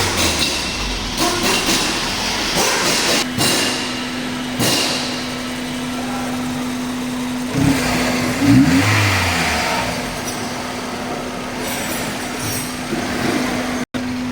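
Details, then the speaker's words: Old Hyundai Verna with a CNG kit that had a starting problem from low fuel pump supply voltage (about 11 V): after the fix it cranks a few clicks, then starts on petrol and settles into a steady, even idle. "இப்போ பாருங்கள் engine வந்து உங்களுக்கு நல்லா start ஆகிடுச்சு பெட்ரோலில்."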